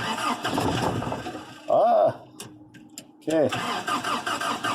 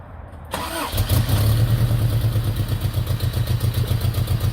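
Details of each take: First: Third-gen Toyota pickup with a new fuel pump: it catches briefly after cranking, runs rough a few seconds, then dies. Fuel is misting from a loosened fuel rail bolt, which needs tightening or a new copper washer. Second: Third-gen Toyota pickup after a new fuel pump, fuel filter, fuel line check and tank cleaning: it catches and settles into a steady idle with an even low pulse and no misses, knocks or ticks. Normal idle.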